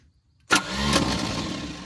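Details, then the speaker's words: 1971 International truck that would not fire, compression test on cylinder one reading 30 psi: engine spins over quick and even with no firing and little resistance per stroke; low compression, owner suspects timing jumped a gear. "okay 30 pounds not so good not so good it won't run off 30 let's see if we do better with the other cylinders"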